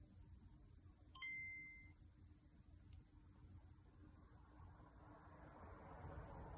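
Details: Game Boy Color with dead power button, switched on by bridging VCC to on position with tweezers: one short high ding then faint game sound; boots normally, button itself faulty.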